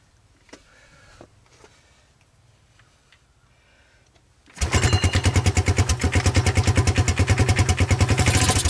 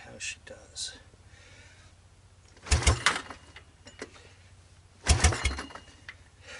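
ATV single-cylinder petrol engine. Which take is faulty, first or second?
second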